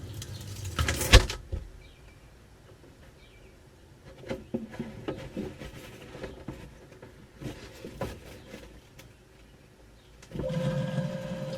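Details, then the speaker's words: Outdoor fridge left unused all winter, plugged in, heard from inside the fridge: quiet at first, then the compressor hum cuts in abruptly and holds a steady low drone. Normal compressor start. "Definitely sounds like it started."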